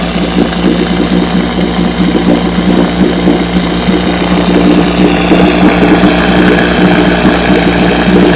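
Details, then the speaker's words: Fully restored 1958 Johnson 7.5 hp two-stroke outboard, barrel test without silencer fitted: steady even burble holding a smooth low idle, no misses or knocks; idles down with a sweet purr, normal idle. "so I've been running her she runs great let me give her a start here see how she runs"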